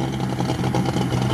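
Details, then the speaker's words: Cold LuAZ just started after an overnight no-start and water crossing, water blown from exhaust; rough uneven idle, beat stumbling and dropping out, owner suspects electrical ignition misfire, not hydrolock. "Цилиндры ровно работают все, его не колбасит. То есть был бы гидроудар, он бы так не работал."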